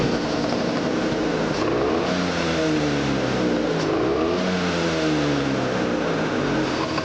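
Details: Vespa Sprint two-stroke with the carburettor upgraded from PWK 28 to PWK 30 and a custom thinner needle, on a test ride: the buzz climbs cleanly through each gear and drops smoothly on shifts, with no misfire or bog. Healthy, normal running.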